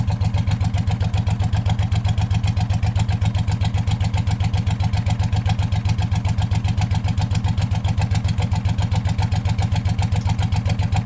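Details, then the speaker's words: Hot rod lawn tractor race mower small engine, hood off, idling steadily with a sharp puffing tick on each firing pulse: known exhaust leak, slightly knocky but typical for this engine. "I don't often hear it with the hood off so of course I found an exhaust leak which I already knew was there"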